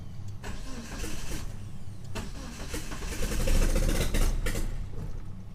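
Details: 1997 Mitsubishi Eclipse GSX 6-bolt swap, first start attempt on a jump pack: uneven cranking about three and a half turns a second, no catch; traced to cam angle sensor wiring, later rewired.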